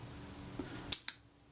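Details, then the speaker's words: Kodak Retina Reflex IV slow shutter speed after shifting the retard gear train: brief whirr, then opening click and closing click about a sixth of a second apart; speed now too slow, setting lies between this and the previous one. "That is definitely too slow. So somewhere back between the two."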